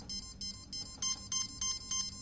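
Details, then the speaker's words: CX20 quadcopter ESC, with the battery plugged in at full throttle during arming: a brushless motor repeats short, high beeps (four beeps), meaning one ESC has entered programming mode. "Beep, beep, beep, beep, beep, four beeps. That one's actually in a programming mode."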